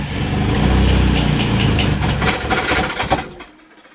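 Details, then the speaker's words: Car with a swapped SR engine and a new fuel pump: it catches and runs rough for about three seconds, then dies, as if running out of fuel. "We noticed that the fuel pump that we put in worked a lot better, but it was like starting and then it would just shut the car off. It's like the car was running out of fuel."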